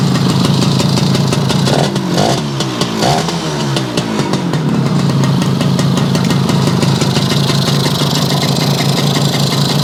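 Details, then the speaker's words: Yamaha YL2C 100 Trailmaster two-stroke, premix drained for straight gas, condenser not yet fitted: a steady idle with a couple of quick throttle blips that clean up slowly, still a touch rich while cold; the carb still needs readjusting. "Still running a little rich, but of course it's cold. Now what we've got to do is go back through the adjustment here, but I can't do that today, so we'll do that another time."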